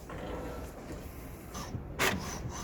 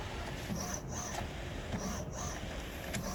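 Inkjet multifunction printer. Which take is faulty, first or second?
second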